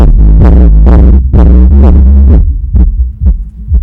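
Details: Soundstream XXX-15000D car amplifier after repair and potentiometer refit: deep bass thumps pulse about twice a second, clean and steady with no crackle or buzz; the amplifier plays normally.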